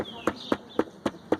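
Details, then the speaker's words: Honda Pop 110 with 2,700 km, after dealer service, fairings tight: light, sharp ticks about four a second over a faint idle, like something loose rattling inside the dash panel. "Só que é como se fosse um barulho de alguma coisa solta dentro do painel."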